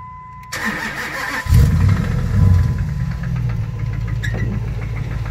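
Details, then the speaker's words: 2005 Dodge Ram 1500, 5.7 Hemi V8 startup: starter whirs, engine fires, then a low knock runs steadily under the idle at engine pace. Owner suspects a main bearing; others suggest the flexplate. Unconfirmed. "I don't know if some of you guys can decipher what this noise is, but to me it sounds like the main bearing of some sort. Some people are telling me it's the Flexplate, so I really don't know what it could be."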